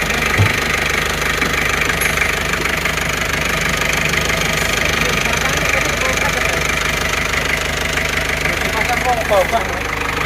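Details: Isuzu Panther 2.3 diesel after test drive following rebuild (broken piston replaced with used one, new rings): steady idle, light combustion clatter, even beat, no misses or surging; no smoke at oil filler, engine healthy.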